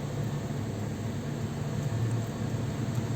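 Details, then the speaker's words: 2010–2014 Toyota RAV4 idling while warming up after water pump replacement and coolant refill, heater turned to high. Low, steady idle hum with a smooth even beat, no knocks or squeals. Normal idle. "We're gonna start it up, and we're gonna allow it to get up to temperature. Just make sure everything is right."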